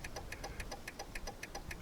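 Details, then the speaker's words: 2000 Jeep Cherokee at idle: very fast, even flasher clicking, about seven a second, with no turn lamps or dash indicator lit; owner suspects a faulty turn signal switch that hangs and doesn't click fully off, making the flasher go crazy. "but if you could hear that real fast clicking, there's no lights blinking right now. There's no indicator on the dash blinking, but the flash is going like crazy."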